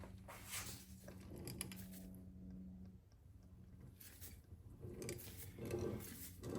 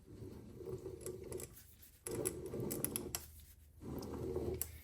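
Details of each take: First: Triumph Spitfire overdrive transmission on the bench, output shaft turned by hand in second gear: soft even swishing about once a second, no grinding or clicking; second gear sounds healthy. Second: Triumph Spitfire overdrive transmission turned by hand at the output shaft in reverse gear. Irregular clicking and rattling in bursts from ball bearings dropping inside the case; quiet in neutral and second gear.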